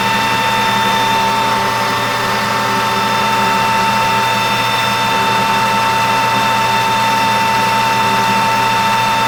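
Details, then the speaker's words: 1988 Rutland lathe roughing the major diameter of a 1/8-scale steam wagon axle blank between chuck and center with new insert tooling, about 25 thousandths cut; steady even cutting hum with bright constant ring, no chatter, normal roughing cut. "That's coming off pretty good right there. [Applause] Really nice finish right there."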